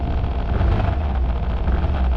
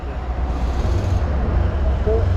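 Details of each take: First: Suzuki Burgman Street 125 scooter at about 3,741 km, idling after start: a low throb with a fine vibrating buzz that stops when pressed by hand near the cluster. The owner suspects a loose internal rubber bush; unconfirmed, taken for service. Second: Suzuki Burgman Street 125 scooter just after its second service, 3755 km, started at the service centre: low even idle burble with no buzzing or rattle; sounds smooth, no problem, normal idle.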